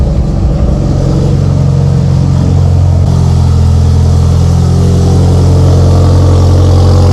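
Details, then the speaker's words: Even, steady idle with a smooth low drone after an early rev settles from a used engine just installed in a Mitsubishi Evo, first start after full throttle cranking, 80 psi oil pressure; no knocks, healthy. "yeah that was weird it took full throttle for a couple seconds and she fired up sounds healthy sounds really really healthy"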